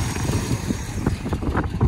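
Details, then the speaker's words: 1970 Pontiac GTO first start in years, dual exhaust: low, steady, even burble at idle with no knocks or ticks; V8 runs smooth and fairly quiet, normal idle. "he cranked right up he's running she's just sitting here purring looking good not bad for a first start"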